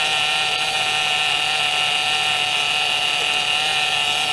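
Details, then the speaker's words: 2007 Pontiac G6 after replacing leaking high-pressure power steering hose from rack to pump and refilling: steady high whine with no low rumble, from lots of air in the fluid; needs bleeding to quiet. "well this one's not a low of course it's just got a lot of air in it so we'll start it up and check it out"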